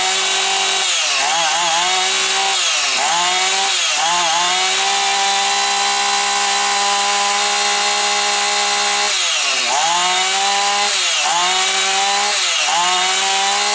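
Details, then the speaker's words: Husqvarna 445 chainsaw, warmed up: it blips up and down a few times, then holds a steady, even high-pitched scream without hunting. It runs healthy, though the owner may still check the carburetor. "бачите рівненько все тримає все чітко все гарно так що Супер"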